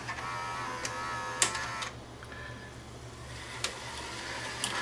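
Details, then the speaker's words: Sony SLV-R1000 VHS deck after a failed owner repair of the blue gear, with a capstan motor fault and a failing mode encoder switch: a quiet motor whir and crisp mechanism clicks as it unlaces and shifts between rewind and play. This transition is normal. "we'll just try highspeed rewind and see that it will uh [Applause] unlace and go into full speed rewind"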